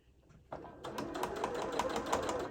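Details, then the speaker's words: Sewing machine stitching a gift bag after the needle hit a pin and bent: fast, even stitching with a sharp metallic tick on every stroke as the bent needle strikes something it shouldn't. "That's the sound of the needle hitting something it's not supposed to be hitting, so I bent it."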